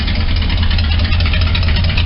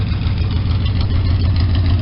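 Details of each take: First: Truck that won't restart when warm after a short park, with fuel smell while cranking (owner suspects flooding, doubts vapor lock). After extended cranking it runs with a heavy, deep idle and faintly uneven stumbling beat, a suspected slight misfire. Plug wires, coil, cap and rotor ordered. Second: Small engine running again after an ignition points job, warmed up and timed at 12 degrees BTDC at 800 rpm: steady, even low rumble with a smooth regular firing beat and no misses or knocks; normal idle.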